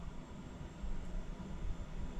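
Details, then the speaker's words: Meritage Homes new-build water heater with repeated hot-water failures: low, steady rumble with small surges and no clear rhythm keeps going after the burner flame goes off; heater noisy with flame off, cause not identified. "Hear the noises it makes. You notice now the flame is on. Noise made, flame is off."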